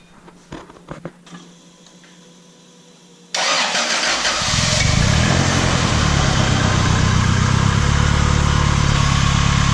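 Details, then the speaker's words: Turbo Honda Civic with a ball-bearing turbo, first start after finishing work: a few cranking clicks, then it catches and settles into a steady, even idle with a faint turbo whistle; runs healthy. "That sound of that ball bearing turbo. Sounds pretty good to me."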